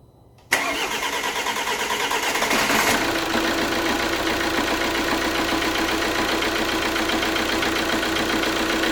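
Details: Alfa Romeo Giulietta diesel after water pump failure rebuild, coolant filled, cap off for bleeding: short crank, fires at once and settles into a steady even idle, no knocks or misses; normal start and idle.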